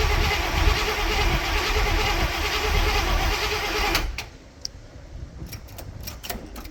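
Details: Barn-find Cadillac 7-liter, not run in 30+ years, battery on charger, fuel reaching sediment bowl: starter spins the engine in a quick even rhythm for about four seconds; cranks but never fires.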